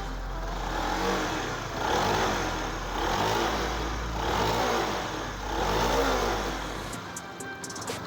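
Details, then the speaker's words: Honda New CB150R single-cylinder, kick-started after correcting a badly welded, off-centre balancer/magnet that had caused a tiger-like growl: gentle rev rises and falls with even firing, no knocks or rattles. Now running smooth. "Coba kita engkol dulu nah ini teman-teman sudah halus ya udah oke"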